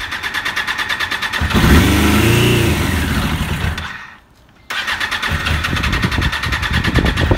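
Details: 1996 Suzuki RF900R, carburetors not yet cleaned: engine catches in ragged bursts, revs briefly and dies, running only on brake cleaner sprayed in; owner suspects carburetors; fuel delivery fault, runs only on starting fluid.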